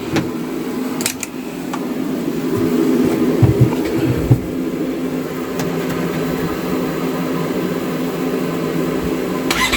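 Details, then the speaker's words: 2015 Polaris RZR 900 S first start after fitting a RZR 900XP exhaust: low, throaty note rises briefly then settles to a steady smooth idle with no odd noises. "i like it sounds good"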